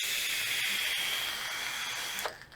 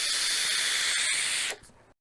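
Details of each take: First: Geek Vape Griffin 25 atomizer firing at about 80 W: steady hiss with faint fine crackle, then stops, as juice wicks onto the hot coil; normal coil crackle, not a fault. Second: Geek Vape Griffin 25 sub-ohm tank using the bottom airflow: a loud rushing hiss on the draw that cuts off sharply when inhaling stops; the bottom airflow is noisy, a slight flaw, and a V2 with quieter airflow is wished for.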